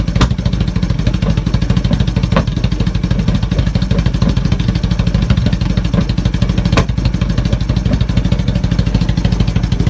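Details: 1980 Honda CB750K: low, uneven idle with a loping, stumbling beat around three pulses a second instead of a smooth patter; rough idle.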